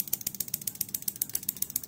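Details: Fuel injector on homemade 5-pin relay tester, speed set by external Honda Beat TPS (about 5k): crisp, sharp ticks about eight per second, steady and evenly spaced; injector firing cleanly.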